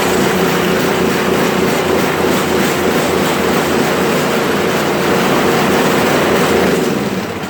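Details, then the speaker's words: Toro Powerclear 721 RC snow thrower before carburettor cleaning: loud small engine should hold a constant idle but drones with an uneven up-and-down pulse; engine surging, owner suspects a dirty carburettor. "it's supposed to just run a constant like idle but it kind of goes up and down up and down you'll hear it"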